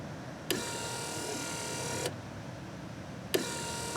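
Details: 2004 Cadillac Escalade windshield wiper motor, previously running constantly with the washer pump, after replacement and re-straightening of the arms: an even motor whir with a soft thump at each end of the sweep about every 1.5 s. Wipers now operate normally.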